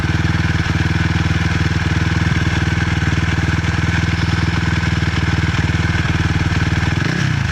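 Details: 2006 Suzuki LTR 450 single-cylinder ATV at fast idle with ragged, uneven thumping, about four beats a second, stumbling near the end; still has power but backfires, cause unclear.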